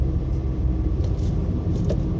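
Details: Nissan Sentra, 131,860 km, road test after a P0302 cylinder 2 misfire that had made it buck: steady low rumble with no bucking, surging or stumble; normal driving, no misfire.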